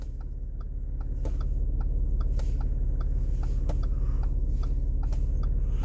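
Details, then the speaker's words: Audi SQ5 with panoramic sunroof, cabin while driving: light sharp ticks two or three times a second over low rumble, from interior trim at the front passenger side; pressing the trim stops the noise. "이게 소음이니까 이게 문제인 거예요 하나 잡기 시작하면 소음이 이 소리가 나는데 여기 누르면 안 나죠"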